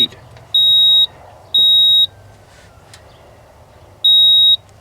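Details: 1987 Ford F-150 inline-six that ran rough after warm-up on a cold morning: sharp half-second high beeps, two, a gap, then one more; code reader pulsing stored codes.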